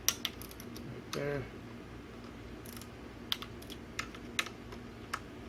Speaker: Set it to 5, and then torque it. Like there. Hear the clicking.